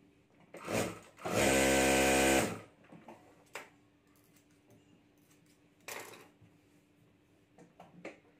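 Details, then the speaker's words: Stitching machine after repair of a noise fault: short, even whirring burst of stitching at steady speed, no knocking or grinding; earlier noise gone, machine working normally. "तो हमारा machine सही काम कर रहा है"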